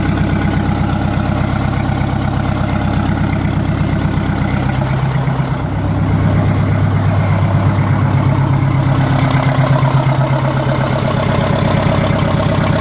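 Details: 1960 Kenworth W925 semi truck, exhaust cut off at the manifold during restoration: harsh, loud, evenly pulsing low blat at steady idle with nothing muffling it; open exhaust manifold.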